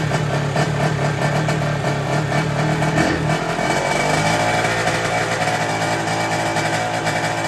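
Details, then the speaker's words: Derbi 50cc two-stroke after fitting a 24 Polini carburetor and fixing an exhaust leak: steady buzzing at high revs, dipping and pulling back, even and clean with much less rattle, no leak. "maintenant que j'ai changé le carbu et qu'on a résolu la fuite à l'échappement on entend que la moto tourne beaucoup mieux elle fait beaucoup moins un bruit de casserole et ça c'est vraiment top"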